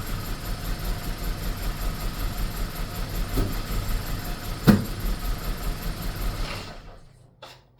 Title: bmw e46 318 rough idle and misfires. #diy #mechanic #test #autofixing #bmwe46